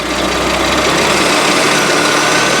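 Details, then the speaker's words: Merkur XR4Ti, 95,000 miles, sat five years, after rotating distributor to correct timing: steady, even idle with hissy top end, no misses or knocks; running much better, normal idle. "now do a lot better"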